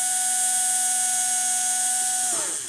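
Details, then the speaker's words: AHM GP18 model train locomotive motor running smoothly after wash and lube, motor cleaned of grime and buildup for good contact; clean steady hum at constant pitch, winding smoothly down when power is cut; normal motor run. "hear how good it sounds when you have um uh all the G and and build up on it off of it and uh it's making good contact"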